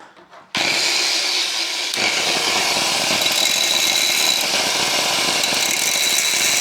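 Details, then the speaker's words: Broken corded angle grinder cutting scrap under load with a harsh, ragged, uneven roar; it works but sounds horrible, cause unclear. "That sounds horrible. Um, all right. May revisit this one later, but it works."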